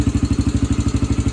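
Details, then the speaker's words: Yamaha TTR125 sat five or six months with gummed-up carburetor, fuel on reserve, took longer than hoped to start: crisp even single-cylinder idle around eleven beats a second, no misses or rattles; running good. "seems to be running good that was a pretty successful thing"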